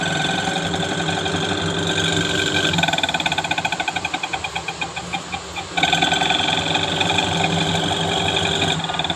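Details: Panasonic Active Foam 8 kg washing machine, empty drum on spin: loud whirring with fast rattling tick and ringing whine. Noise during spin, gearbox and motor being checked; faulty motor noise.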